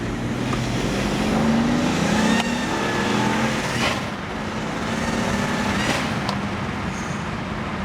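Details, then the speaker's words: N54-swapped BMW 335i E91 wagon, rebuilt about 1500 miles ago, first drive on new tune, smoking black: hard pull with roar climbing through the revs and a faint rising whistle on top; boost leak, suspected from loose hose clamps. "all right so let's go ahead and figure out where that boost leak is coming from probably just need to tighten down all those hose clamps and we'll go out for another drive here"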